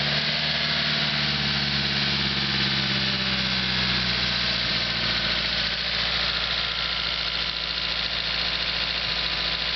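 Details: SR20DET engine from a 1998 S14, after valve cover hose came off during 30–40 minutes of hard driving: fast light ticking at idle from up top, steady with engine speed; owner suspects lifters, unconfirmed.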